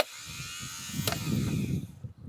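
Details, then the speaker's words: Ford Courier that sat 30 years, new rebuilt starter tested on bench: fast, even electric whir spinning freely, no grinding or dragging; normal starter spin. "if you hold it down for a second you should hear that starter just moving fast [Music] that's it starter seems to be working really good now let's get it back in there"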